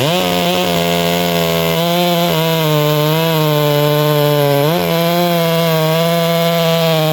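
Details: Bradley G395xp clone chainsaw, 56mm with 20-inch bar and .404 full-chisel chain, cutting log; high crisp two-stroke scream dips briefly as chain bites and recovers fast; strong, healthy, normal running under load.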